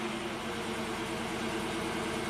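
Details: 2008 Chevy Impala SS V8, 75k miles, intermittent P0201 injector 1 circuit fault with limp mode, after codes cleared and restart: even, steady idle with constant pitch, no stumbles; no codes return, misfire counters all zero.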